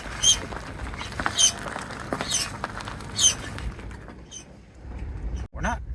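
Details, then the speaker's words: Yamaha R3 motorcycle pushed by hand: sharp high squeaks about once a second following wheel rotation. Something is caught and rubbing, suspected at the front wheel; cause unclear. "we're not actually scraping something's caught somewhere what is this"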